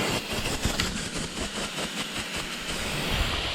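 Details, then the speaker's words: 2016 Porsche GT3RS 4.0 engine, out of a wrecked track car, leak-down on cylinder 1 at just over 100 psi, 40% leak: steady hiss mostly from crankcase, some past new-head intake valves; owner suspects broken rings, slight bore scoring. "like I said, a little bit coming out of the intake valves, which is a little bit concerning just because it's a brand new head there, so there shouldn't be anything coming out from those, but you can certainly see it, you know, puff up there. So it is definitely pushing some air through"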